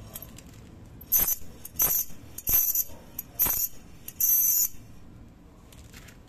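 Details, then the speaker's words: Rear brake being inspected for a metallic noise heard while driving: five sharp, tinny jingles like shaken keys each time the brake is applied, from a loose brake retaining spring; noise stopped once the spring was pushed down. "eu não entendo como uma chapinha pode fazer essa bagunça toda cara e é justamente a mola que tá pegando aqui"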